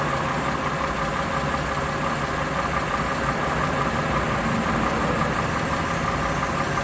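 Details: Warm Lexus RX330 3MZ-FE V6, revs at 1,000, 2,000 and 3,000 rpm: uneven light knock riding over the engine, roughly three per second; owner wonders if piston knock, cause not yet identified.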